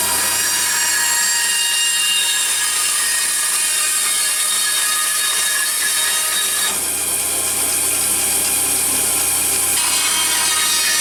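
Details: Craftsman band saw with broken table, after realigning blade tracking: steady high-pitched blade whir with rasping wood cut, even speed throughout; running normally while cutting.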